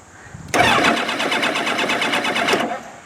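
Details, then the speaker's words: 2002 Kawasaki ZX7R, hard to start and won't idle without choke: two seconds of steady cranking with even compression pulses and no firing, even with choke on; no fuel reaching the carbs because of clogged pilot jets, before carb service. "right very hard to start no fuel is get into the carbs even with the choke on in fact it looks like it's gotten worse since I last all right so as you can see it's hard to start"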